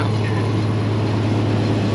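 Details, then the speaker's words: Barn-find Gleaner G combine's old six idling with a deep, steady low drone and an even, unbroken beat, no knocks or misses; it runs good and sounds healthy. "Huh. Runs good, Mike. Man, it sounds good. We'll just let it sit here and run."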